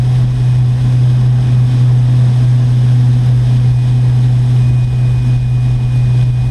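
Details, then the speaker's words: Electric boat with a 4-blade propeller at about 39 mph, 3600 RPM, 166–168 A, 149 V: a loud steady hull hum with a rough fluttering rumble. Vibration comes into the boat, and the prop wash is suspected to be hitting too much. "but I can just hear that there's a lot of vibration coming into the boat probably the prop wash is being hit up too much"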